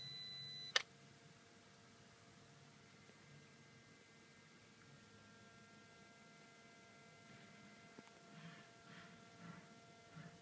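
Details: 2013 VW GTI MKVI, car off and parked: a short high beep ending in a sharp click, then a faint steady low buzz/hum audible at high volume; owner unsure if concerning.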